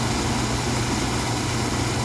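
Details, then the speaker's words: Oil-fired furnace burner on purge mode after filter service, bleeder open with air coming out: a loud roar with an unsteady, fluttering rumble. Air is trapped in the fuel line and filter. "Don't forget I left air inside the thing. I left air inside the uh the filter. See all the air coming out."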